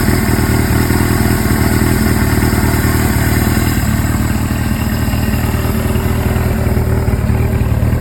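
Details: Suzuki GS-series four-cylinder motorcycle (GS750/GS550/GS1000, CVK carburetors), follow-up on an engine noise: steady idling rumble with a light, busy clatter on top; abnormal engine noise at idle, cause unknown.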